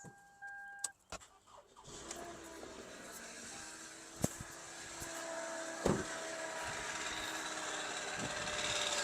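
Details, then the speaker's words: Car that would not crank, jump-started from a portable jump pack: a few sharp clicks, then the starter spins and the engine catches into a steady run; weak battery or alternator suspected, alternator to be checked with a multimeter, not confirmed. "All right, ladies and gentlemen. Uh, it is making noise, but the car has started."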